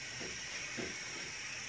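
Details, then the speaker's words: Eagle 1.5 hp air compressor running: steady sharp hiss over a soft pumping thump about twice a second, as air leaks at the tube connecting to the pressure switch while it pumps. There are two leaks; the pressure switch was repaired and the regulator replaced. "so the leak is right here this tube here when connects to the pressure switch well there's two of them"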